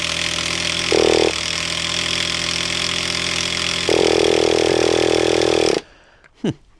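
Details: Traxxas T-Maxx 2.5 nitro RC monster truck after long storage: high buzzy single-cylinder nitro engine running steadily with two quick throttle blips before cutting out; normal running.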